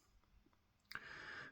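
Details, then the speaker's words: Uniden Bearcat UBC785XLT scanner, which pops when scanning mixed AM and FM channels: one sharp pop then brief hiss as it switches between AM and FM banks. After the workaround it now pops only once between banks. "Yeah, it only pops once now in between banks"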